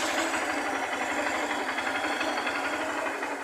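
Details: 2009 Honda Fan 125 after engine-noise repair: small single ticks over with a light, even patter of roughly four beats a second, with no knock or rattle; quiet, healthy normal idle.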